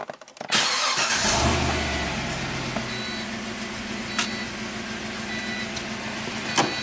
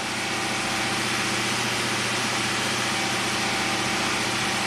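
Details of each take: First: 2006 Pontiac GTO V8, 36,000 miles, six-speed manual, just after a new AC Delco plug in cylinder 3: catches, flares briefly, settles into steady smooth idle with no miss; fuel trims perfect, healthy running. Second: 2006 Pontiac GTO V8 with 36,000 miles, idling: a steady idle with an occasional faint stumble. Tech 2 misfire counters show cylinder 3 counting most, with a few on cylinder 1. An aftermarket mass airflow sensor is fitted.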